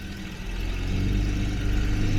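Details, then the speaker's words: 1977 Jaguar XJ12 first restart after breaking down with loud boom, timing reset roughly, air filters off: steady low rumbling idle that firms up, no knocks or ticks over intake roar; normal idle, timing not yet correct. "we are building low pressure h no weird sounds or anything I do have the air filters off so it's a little bit noisier than usual and low idle"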